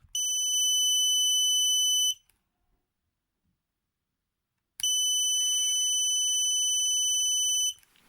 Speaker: here's the problem with the flight controller everything is correctly connected but then whenever there's power to the flight controller it has a constant beep